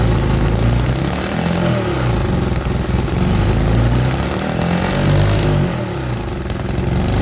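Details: 3D-printed 125cc two-stroke engine running on starter fluid after the carburetor was removed: rough, uneven buzz wavering up and down without settling; engine almost out of compression, head to be opened to find the failure.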